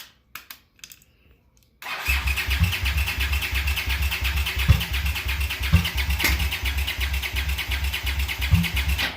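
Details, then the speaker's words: Honda GL650 cafe racer after a carb clean. Steady starter cranking about three beats a second with carb huffing, never firing. A trimmed float bowl gasket leaks fuel badly and gas sprays from the carbs. "I don't know if you guys can hear those carburetors huffing and puffing. I mean, it sounds like it wants to fire up, but those floats, just the one that I trimmed the O-ring or the gasket on, is leaking like a sieve."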